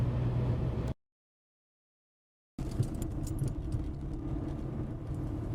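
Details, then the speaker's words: 2006 Mercedes C200 CDI driven over a broken road: heavy rumble with irregular hollow knocking from the front suspension, about 120,000 km on the wishbones, wheel play on both sides and a damaged boot; upper and lower wishbones replaced afterwards. "bien entendez comment ça cogne s'arrête pas de le faire"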